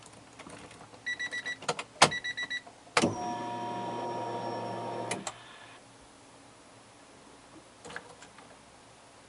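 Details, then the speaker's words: Newly installed Grams Performance 255 fuel pump, replacing a failing Walbro, in a turbo 1996 Integra sat a couple hours: key-on short steady electric priming whir, then quiet even idle; pump healthy. "I'll turn the key to on so you can hear it prime, and then once it's primed, then I'll start it up so you can hear it at idle."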